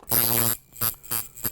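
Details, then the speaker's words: Coil tattoo machine on 6 volts, being changed from fast soft shader to harder, slower color packer: short bursts of crisp, steady fast buzz, still about 114, with firm strokes; force now feels enough to push a needle. "It actually feels like it'll push a needle."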